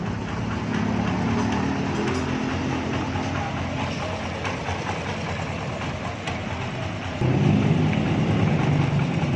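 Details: Honda CB 125 single-cylinder motorcycle, questioned for being noisy; settles into an even, steady idle, then picks up cleanly to a higher rev near the end; runs smooth.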